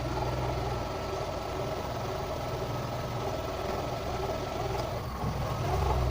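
Engine idling a bit unevenly with a faint stumble, then settling back to a steady low hum; runs rough with the airflow sensor disconnected.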